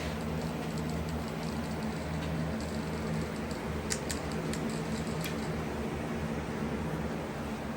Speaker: you can hear the buzzing now you can see the framing from from doing the back you can see the framing around the edges